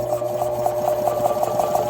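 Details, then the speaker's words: Used Sanborn 1.6 hp air compressor that would not build over 20 psi: the motor hums and labors with rhythmic pulsing, reluctant to start, then keeps running. The owner suspects bad start or run capacitors. "Doesn't really want to start. And then when it goes, I just want to keep going."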